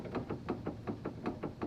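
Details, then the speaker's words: Duramax truck, steering column wiggled by hand: sharp hollow knocks tracking each rock, seeming to come from above; no loose bolts seen, owner suspects worn drag link heim joint. "okay, so we have, that one almost sounds like it's above me. None of the bolts look loose."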